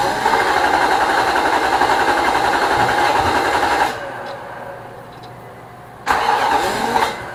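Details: 2006 Nissan Armada 5.6 V8, first cold start after an engine swap: the starter spins at a steady rhythm, stops, then cranks again but never catches. Fuel and cam sensor are connected; a faulty crankshaft position sensor is suspected for the crank-no-start.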